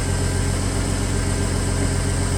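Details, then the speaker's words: 1986 Ford F-150 frame-off restoration, carbureted V8, cold start at 9 degrees on an old battery: deep, even idle with steady low rumble, no misses, knocks or hunting; healthy normal idle, though owner suspects some timing work is needed. "They're idling like it is a brand new truck."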